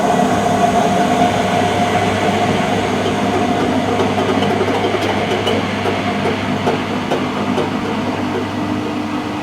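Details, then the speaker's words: Mid-1990s Whirlpool AWG324 4kg 600-spin slim washing machine: steady heavy roar with rough rattling, bouncy knocking rumble like a passing train; drum bearings gone, dense heat noted; worn drum bearings. "they're the bearings on the drum and they're gone you can see there's quite a dense heat here um I suspect the SP and you can hear this knocking also it's quite bouncy"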